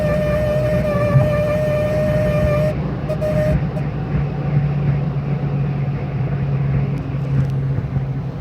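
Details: BMW E46 M3 at about 80 mph: a steady high whistle from the dashboard over heavy road rumble, which cuts out and briefly returns. Cause unknown.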